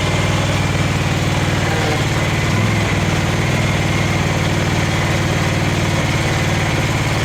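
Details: Craftsman FS 5500 lawn tractor engine idling: a steady low thump, slightly uneven, with a brief stumble. The owner says there is dirt in the carburetor, before cleaning; the breather was already blown out.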